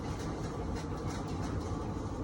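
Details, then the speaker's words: Whirlpool dryer, model YWED9620HCO, after replacing the belt, drum rollers and idler pulley to cure a squeal: steady, low, even drum rumble with no squeal or scraping; runs quietly and healthy. "All right, we got it fixed. Sounds a lot better than that screeching, crazy noise that's going on."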